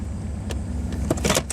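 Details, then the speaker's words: Chevrolet Camaro IROC-Z idling after the OBD1 scan tool was unplugged, dropping from about 1100 rpm with misfire to about 650 rpm in neutral and 500-550 in gear: steady, even rumble with cabin clicks, no hunting; normal idle. "now it's down to like what 650 i'm in neutral if i put it in gear about 500 550 very nice and normal"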